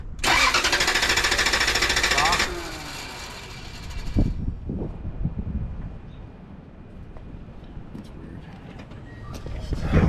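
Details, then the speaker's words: Toyota Tundra with fuel pump circuit, fuel pump relay and P1200 codes and a blown EFI 2 fuse: the starter churns for a couple of seconds but the engine never catches, with no fuel pressure on the gauge; crank, no start. "I'm not getting anything it's not reading any pressure why is that start it up again stop turn the key all the way off start it up"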